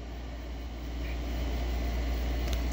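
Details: Air conditioner powered from an Allpowers R600 600 W power station, fully charged, inverter at about 110 V: a low steady hum of compressor and fan running evenly after start, no rattles or stalling. It runs normally.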